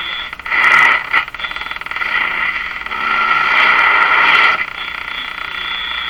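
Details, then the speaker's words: Electrohome Cosmic tube radio speaker testing: rough fluttering hiss that swells and fades irregularly, sounding like engine noise but not; electrical interference heard often in the shop, cause unknown. "hear that noise sounds like engine noise of course i don't think it's engine noise but certainly sounds like it um what causes that particular sound which i hear in my shop all the time i have no idea"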